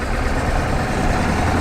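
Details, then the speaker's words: 1986 Ford F250 7.3 turbo diesel: heavy, rough rumble and drone from underneath while pulling, only in first and second gear; drivetrain noise, source not pinned down. "Oh yeah. A lot of noise down here. But only in first and second. That's probably something to be worried about, right?"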